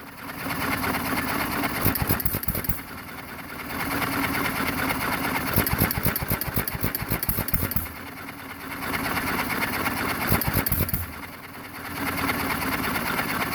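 Bursts of firing every four seconds or so, then quiet coasting between, just as a governed hit-and-miss engine should run.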